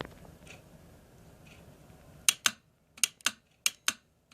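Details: Mercedes E320 throttle body bench test, good reference unit: about seven sharp dry clicks in two seconds as the clutch coil pulls in firmly; healthy coil, unlike the two tested throttle bodies with dead coils.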